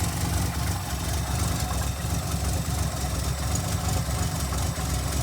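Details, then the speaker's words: 1982 Ford, cold engine idling after installing a fuel pressure regulator, now 6.5 psi versus about 9.5 before (which caused black smoke when warm): deep, fairly even idle with only a faint lope, no stumbling, no black smoke; mixture sounds right. "but yeah that's six and a half pounds of fuel pressure it's not i don't think you see it but it's not it's not loping as hard and it's not blowing black smoke out such a little idol"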